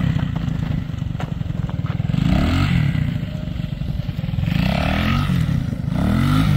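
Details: Honda XL185 barn find after fixing a very rich condition: single cylinder fires crisply and evenly, blipping up and settling back cleanly; engine now running properly.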